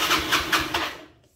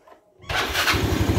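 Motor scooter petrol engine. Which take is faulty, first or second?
first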